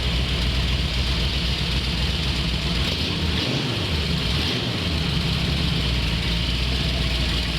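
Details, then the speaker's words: Carbureted car with Winfield cam (3/4 or SU1A, unsure), described as snappy, choke adjustable by sound: steady, deep, even rumble at constant level, no knocks or misses; normal running. "This car is snappy, man. The setup in this car. What cam did we put in this? It has a Winfield 3/4 in this."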